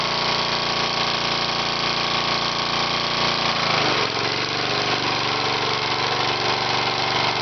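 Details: Small single-cylinder engine on its second run with a cork piston crown with a 1/16 in hole, no oil added, cylinder scored: harsh ragged bark with rattly knocks; owner suspects cork chunks hitting the cylinder head, blown out the exhaust.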